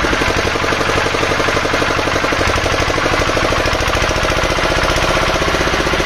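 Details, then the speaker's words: Field Marshall 5 HP single-cylinder diesel, long unused, after tappet (valve clearance) setting with both valves free and gap correct: steady, even slow thumping about a hundred beats a minute, no extra knocks; running well. "दोनों में gap जो है बेहतरीन है तो ऐसा कोई दिक्कत है नहीं इसमें बेहतरीन चल रहा है"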